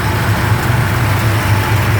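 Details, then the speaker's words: 1971 Plymouth Roadrunner V code 440 six-pack with reasonably mild cam: deep steady V8 idle with a gentle, even lump in the beat; otherwise smooth and healthy, normal idle. "Engine's got a reasonably mild cam. It doesn't got just a little bit of a lump."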